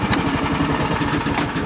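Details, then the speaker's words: Cub Cadet AGS 2140 Series 2000 tractor just after start-up, following no-start fix at the neutral (dead man's) switch: even, steady single-cylinder chugging with no stumbles or misses; normal running. "goes good so that solved the problem right there with it not wanting to start"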